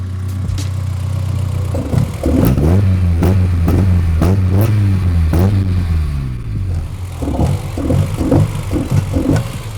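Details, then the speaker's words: BMW E30 M3 S14 engine revved after fitting a DTM-style carbon airbox and inspection 2 service: throaty note blipped up and down with occasional sharp stumbles, a slight misfire because the car is not yet mapped. "throaty sound now there is a slight misfire i don't know if you can hear that and that's because the car's not being mapped"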